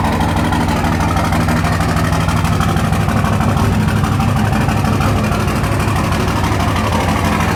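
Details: 2004 Dodge Ram 5.9 Cummins diesel, just started, not warmed up: loud cold idle with a fairly steady clatter, about three knocks a second, over a deep rumble. Owner suspects bad injectors; diesel knock.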